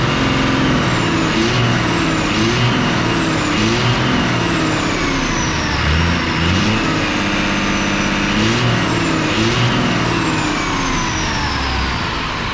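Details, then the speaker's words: 12-valve Cummins 5.9 diesel swapped with a VE pump, sat 15 years, gummed pump and injectors suspected: after clearing up, even steady idle clatter with firm low rumble, no misses or knocks; lights right off, normal idle. "But she finally, let's see if it don't make a liar out of me, but she finally cleared up. Listen to it. Well, just lights right off. I love these 12-valve Cummins."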